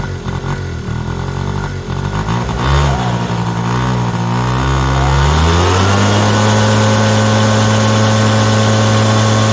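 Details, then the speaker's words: Yamaha Razz scooter fitted with a Yamaha JOG two-stroke engine, first start after sitting 11 years on non-ethanol fuel; revs unevenly and stumbles when opened up, won't throttle up, then settles to a steady buzzing idle; owner suspects carburetor issue, bowl flooding/fuel leak. "all right won't throttle up that's I'm all right with that see about this this and go n okay it doesn't like that"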